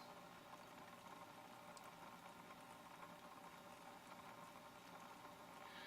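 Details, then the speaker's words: AquaClear 30 hang-on-back aquarium filter, new out of the box, lid on: steady quiet buzz with a fine rattle over trickling water, the impeller rattling against its shaft, louder as it echoes off the lid. "you can hear the um the vibration or the rattling of the impeller is accentuated when you um when the lid is on"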